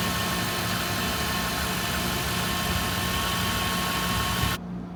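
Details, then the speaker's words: High-mileage Jaguar (347,000 miles, check engine light on) at auction preview: even, steady idle hum with no knocks, misses or rough patches; sounds pretty decent, normal idle. "why you bs and this sounds pretty decent i don't know man we'll see we'll see that one i'm going to add to the watch list but that's a lot of miles for that jag"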